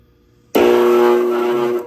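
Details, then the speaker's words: Indoor furnace blower making loud harsh hum with strong steady tone; long-running wheel imbalance shook the duct insulation liner loose into the blower, and dirt caked on the wheel. Blower judged worn, replaced; wheel possibly worn, cleaned. "所以呢，它这个不 balance 这震动时间肯定已经很长了，最终把这些都震动下来了，然后放回去试一下。"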